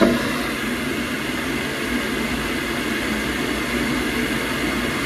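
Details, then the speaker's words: Boiler after repair, which previously shut off about a minute into maximum: steady even fan rush at maximum, fan pressure -6.7, no surging, cutting out or rattles; normal boiler fan operation. "Moment of truth, just bang it on, turn the hot water on. So just put the breaker back on. That sounds so much better, so much better."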